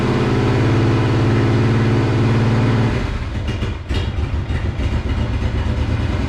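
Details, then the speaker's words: Monster golf cart build, first run after new fuel pump fitted: rough uneven beat stumbling three to four times a second, like firing on one cylinder; misfiring. "it runs but obviously not well as you can hear it it sounds like it's running on one cylinder or you know it's just like sputtering it's not running good at all"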